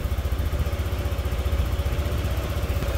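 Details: Motorcycle idling after stator replacement and coolant refill: steady even idle pulsing about seven times a second, no knocks or rattles; battery 12.3 V off, charging 13.8 to 14.1 V running, previously failed to reach 14 V; healthy.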